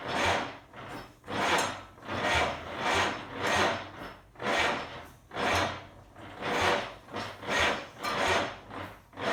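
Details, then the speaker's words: 1947 GMC engine cranking with the throttle slightly open: a sluggish, uneven chug about once a second that never catches. Owner suspects the starter isn't spinning it fast enough, though it sounds like a dead battery. "I know sounds like a dead battery right but like the only thing I can think of is that the starter is just not spinning it fast enough"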